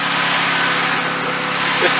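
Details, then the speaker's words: Turbocharged drift car on test drive, lots of smoke going into boost: harsh hissing, scraping rush over the engine with no clean whistle; failed turbocharger, compressor wheel damaged and rubbing the housing. "The turbo's bad. Is that the turbo dancing around in there? I can't tell what the turbo is. That's a weird noise."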